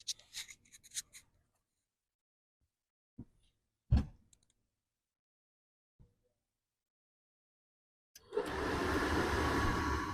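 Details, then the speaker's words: Dometic RV furnace blower after replacing the squeaky motor: after clicks and handling, it spins up to a steady, even rush of air with no squeak. Normal blower fan run. "Okay, fan is running, no squeaking."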